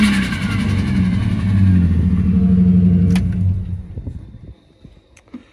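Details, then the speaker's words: Project car in need of work, engine running: rough, uneven revving with a lumpy beat before dying away; cylinder number four has only 60 compression where about 200 is expected, so it misfires. "it does run battery is in it as you can hear the engine is hurt number four only has 60 com it should be around 200"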